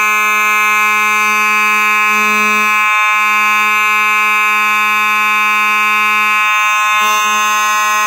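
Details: Simplex 4903-9219 mechanical horn strobe, horn and strobe together: very loud, steady, low buzzing hum with a harsh edge, even and unbroken; the mechanical horn sounds normal.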